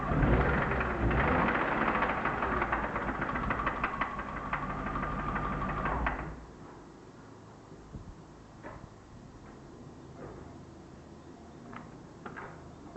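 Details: BMW E36 323i, M52B25, 140,000 km, idling with coil plug 1 pulled: steady tapping knock about three per second unchanged, then engine drops away; suspected connecting-rod bearing damage in doubt.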